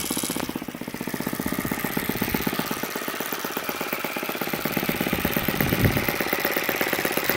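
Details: YS FZ63S supercharged glow engine after rebuild (replaced throttle barrel seal), APC 12x8 prop, Omega 15% fuel, low about 2,220 rpm: rapid, even popping beat holding steady without misses or stumbles; clean normal idle.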